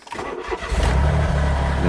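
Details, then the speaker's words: Smart Roadster Brabus Coupe, about 1,000–1,200 miles since purchase, with an intermittent cylinder 1 misfire code and engine light. Start sounds fine: quick crank, prompt catch, smooth even idle with no stumble or miss. "You can hear just now that the car sounds fine. It sounds absolutely fine, and there's no issues"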